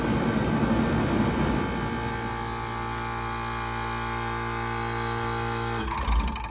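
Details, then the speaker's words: 1978 Comfort-Aire Quietmaster 29,000 BTU air conditioner on high with Tecumseh AH compressor and spine-fin condenser coil: steady humming drone drops away around six seconds with a brief thump as the unit is switched off; normal compressor shutdown. "So now we're going to go ahead and do a compressor shutdown here. So here we go."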